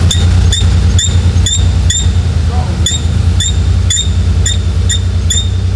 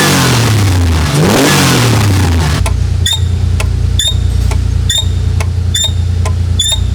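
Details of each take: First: Porsche 930 Turbo at idle, engine bay: sharp, high chirping squeaks about twice a second over a steady idle, traced to a dry, squeaky throttle linkage. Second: Porsche 930 Turbo after engine work, belts being tightened in hot, humid conditions: engine revs up cleanly then drops to a steady, deep idle with no knock or misfire; a squeak had been traced to the throttle linkage area, where a mouse was found.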